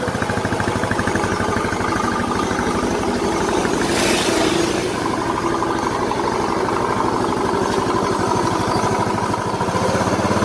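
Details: Yamaha Mio Soul scooter, previously very noisy rough engine, running after engine reassembly: steady, even idle with smooth beat, no tapping or rattle; top end sounds healthy; normal idle.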